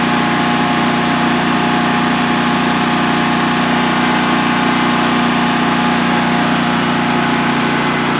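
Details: DuroMax XP15000HX generator on propane, newly installed in a shed, second start, exhaust fan off, five-minute test run: smooth steady drone at even pitch, no knocks, misses or surging; running healthily, no issues.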